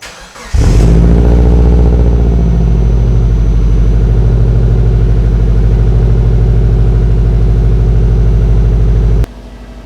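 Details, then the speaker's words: Subaru Forester after an accident, started cold to warm up: it starts first time, catches almost instantly and settles into a strong, steady idle with no misses, knocks or rattles. A clean, healthy cold start. "as you can see, she starts first time. I miss driving this car so much. I miss the noise, I miss how it drives, I miss the smell, I miss being in it."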